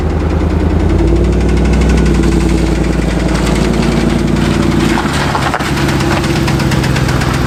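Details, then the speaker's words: Truck engine running without misses and with good oil pressure: rapid, light ticking over a steady idle that follows engine speed, seemingly from one side; top-end ticking, owner suspects a hydraulic lash follower, not confirmed. "that's a hell of a knock on truck runs perfectly doesn't have a miss oil pressure perfect sounds like it's coming from this side and as a lifter"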